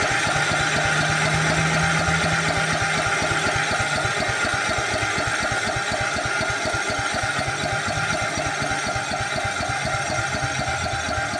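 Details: 2006 Cub Cadet LT1045 riding mower single-cylinder at rest: fast, steady patter near four beats a second; idle stuck too high.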